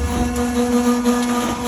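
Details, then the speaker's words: Propane bus-refuelling dispenser pump just activated, taking 10-15 seconds before ready to fuel: steady motor whine holding an even pitch over a constant hum; normal pump start. "On entend l'activation de la pompe et il va se mettre à rouler. On attend à peu près, ça prend 10-15 secondes avant qu'il soit prêt à avitailler."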